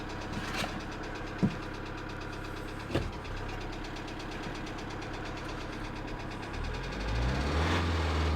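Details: 2008 Kia Sedona 2.9 CRDi diesel (J3) idling after clearing codes, with crankshaft/camshaft position correlation code returning: persistent knock about three a second with occasional sharper clacks; cause not pinned down.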